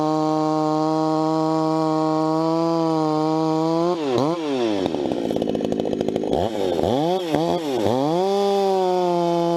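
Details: Vintage 266 chainsaw, recently started after sitting a while, bucking firewood at full throttle: high steady scream, pitch dropping and recovering as the chain bites; healthy saw, normal running under load.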